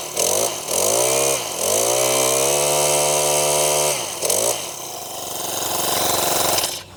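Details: Brand-new Mantis 7940 tiller, just assembled, with fresh oil and fresh gas: the small engine catches and revs up with a clean steady buzz, settles, then blips again; fresh start, running smooth and even.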